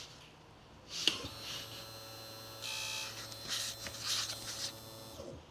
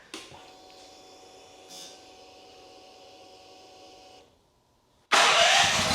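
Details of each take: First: EFI generator whose fuel pump sits under a cover near a dented tank; it quit after an impact. A thin electric buzz with a low hum runs about four seconds as the pump cycles, then stops; the damaged pump delivers almost no fuel. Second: Champion EFI generator after the fix: quiet stretch, then catches and settles into steady, even running with a brief rising tone; running normally.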